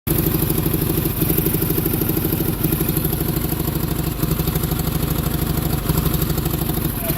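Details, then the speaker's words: Onan generator started just by connecting a battery to the solenoid: loud lumpy loping idle with raspy chuff; far cylinder not firing and major exhaust leak at the shared intake manifold, needing gaskets. "the far cylinder is not firing this thing needs some gaskets big-time I got major exhaust leak at the intake manifold"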